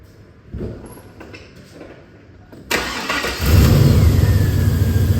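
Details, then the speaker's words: LS V8 Chevy truck after a serpentine belt and tensioner replacement: starter catches, then a smooth even idle with no belt squeal or chirp; much quieter than before the repair. "Now that's a whole lot quieter than what it was."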